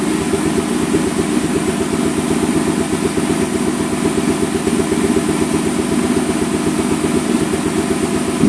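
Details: 2002 Ford Mustang GT V8 with a pretty horrible misfire at idle, just restarted after timing chain, guide and tensioner replacement; lumpy, uneven lope with irregular stumbling beat, fan off, battery weak; owner was told cams may be off a tooth or 180°.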